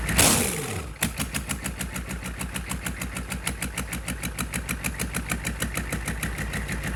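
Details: GEP/Navistar 6.5 diesel, rebuilt (Scat crank, 30 over, moly pistons), Stanadyne DB2831-4911 pump: brief starter crank, then it fires and settles into a steady even idle clatter; healthy.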